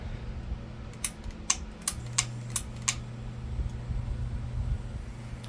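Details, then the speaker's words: 42-inch Harbor Breeze Armitage ceiling fan in black at medium speed: a steady low buzz under the fan hum with a few clicks; quiet on low; owner suspects a missing seal on the light globe. "Runs it runs pretty silent on low, but it runs pretty noisy on medium and high cuz it has to do with the seal on the like load that's pretty much missing."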